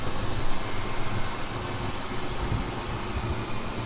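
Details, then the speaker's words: 2000 Mitsubishi Montero Sport in garage, warmed up after cold-start knock faded: even, steady low idle hum with no knocking or ticking over fan noise; normal warm idle. "И, собственно, двигатель работает. Всё работает нормально, никаких проблем нет. Итак, всё звучит нормально. Машина находится в гараже, двигатель работает исправно."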